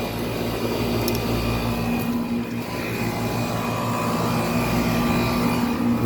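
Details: 1995 Tempstar 5000 central air conditioner with Copeland reciprocating compressor, first startup of its 29th season on an 87° day: steady low compressor hum, even fan rush, no knocks or rattles; runs smoothly and healthy.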